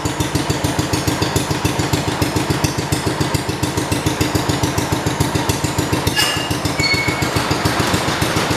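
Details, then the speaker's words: 1971 John Deere 110 hydraulic-lift tractor that had running issues, possibly a bit flooded, started after spark plug work: steady, even exhaust beat of about 3.5 firings per second with no misses or knocks: normal running. "But yeah, as you can see, it runs real nice. Runs real good and runs real nice."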